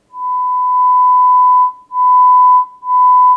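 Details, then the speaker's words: Sanyo DCX 3300KB 4-channel amplifier, 1 kHz tone into a speaker with dummy load off: steady, pure mid-pitch whistle with no hum, buzz or rasp, broken by two short gaps. This channel sounds good and is working. "This sounds good to me. I think this one is working."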